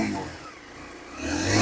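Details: Second-hand Pulsar 150 motorcycle, said to be in A1 condition, kick-started for a showroom demo. It settles low, then revs up cleanly and smoothly without rattles or misfires; normal, healthy engine.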